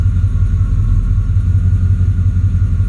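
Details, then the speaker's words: Truck (possibly bad torque converter, lockup gone) idling in gear: deep low labouring rumble with faint uneven beat, valves ticking, engine dragged down like a slipping clutch; voltmeter fine, owner says not electrical; cause suspected, not confirmed. "Hear the valves ticking? It's like the engine's being lugged down."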